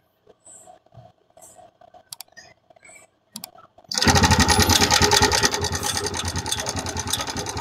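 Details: TVS Raider 125 motorcycle engine at idle with "tik tik" ticking problem: fast, fairly even light tick about three a second over the exhaust; engine ticking noise.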